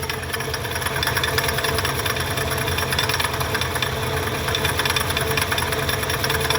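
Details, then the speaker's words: Mercury Mountaineer with failing alternator killing batteries, engine running: harsh continuous grinding rattle from the idler pulley; failed idler pulley bearing, pulley to be replaced with the alternator. "yeah that's that pulley so i told the owner hey we could go ahead and knock out this pulley while we're in there"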